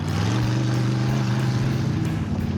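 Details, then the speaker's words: Roadkill Duster V8 with EFI, lapping in the desert: a rough, stumbling drone that never climbs in revs, misfiring; the ignition was first suspected wet, but the battery cutoff had been accidentally hit, starving the system of voltage. "What happened? The whole time that it ran really poorly. I accidentally hit the battery cutoff, which does"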